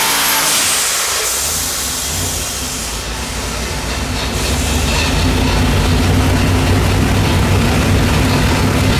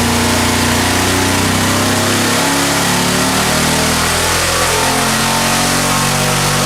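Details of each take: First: Quad-turbo LS V8 on an engine dyno running pump gas, after two dead cylinders were fixed and fuel was trimmed: a loud, even, powerful roar under load with no missing beats, making roughly 600 hp. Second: Junkyard LS V8 with twin two-stage BorgWarner turbos on an engine dyno: pulls hard under load but uneven and lumpy, two cylinders misfiring, about 250 hp.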